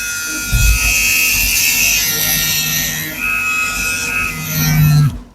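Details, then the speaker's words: Wahl Senior hair clipper motor, after cleaning, bench-tested on a power supply before lubrication: steady high, even buzz holding one pitch before spinning down; motor power still normal, healthy. "masih normal. Jadi dia masih aman sudah dinamo ini."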